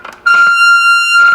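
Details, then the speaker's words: Late-1960s Rittenhouse RM20/RM22 radio intercom master station, with dirty switches and controls and aging components. Sudden piercing steady high squeal held over a second then fading; acoustic feedback howl in listen mode; intercom works. "feedback that's always popular and then we can move this to talk so the intercom does work"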